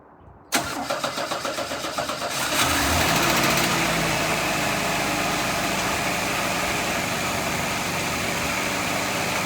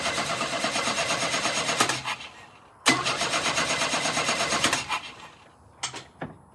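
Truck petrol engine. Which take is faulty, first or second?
second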